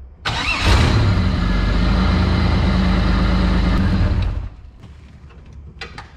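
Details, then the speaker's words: 1984 wide-body Pontiac Fiero with engine swap, just refilled with 10W30 semi-synthetic oil: brief crank, fires right off, then steady even low idle with no misses or knocks; healthy start and idle. "Like how it just fired right off. I like it. This has been a pretty reliable swap so far."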